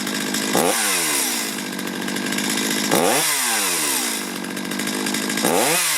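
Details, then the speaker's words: Two-stroke chainsaw, warmed up, after carburetor low-side and idle adjustment: snaps up to high revs three times and drops back cleanly with no bogging, normal throttle response. "When you pull the throttle, if it's not as responsive as you'd like, go back to the low side, turn it in just a little bit closer to that sweet spot. That's perfect."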